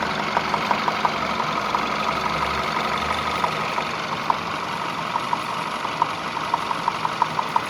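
A steady idle with sharp, slightly uneven ticks, about three per second, cutting through. Some kind of knock at idle.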